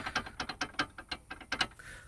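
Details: Pads knocking on a VW Polo / Skoda Fabia (possibly Rapid) with the FS-III caliper: sharp light clicks in quick bursts as the pads jump back and forth under braking. Worn, pitted, corroded guide lugs on the knuckle. Fix: new knuckle, or weld up and level the lugs.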